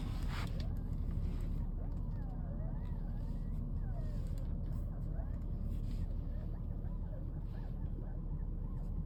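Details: 2016+ Mercedes-Benz with fluidless electric steering rack: thin whine rising and falling as the wheel turns, from the rack's aged main bearing; fix is refurbishing the steering rack.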